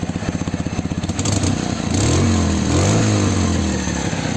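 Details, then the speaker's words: Dnepr motorcycle with a swapped-in Ural engine and "bomba" muffler: even, deep pulses about four a second, then clean revving to a steady drone. The exhaust note is judged pleasant and healthy. "выходит в принципе звук выхлопа мне нравится"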